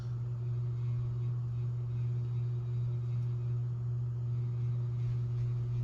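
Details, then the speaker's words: Vintage brown/brass bottom-mount spinner 42" ceiling fan on high speed, drawing 0.45 A and 53 W: strong steady low hum near 120 cycles with a fainter tone above; loud motor hum that could be quieter. "Yeah, something. Yeah, it's. I think it could be made a little bit quieter."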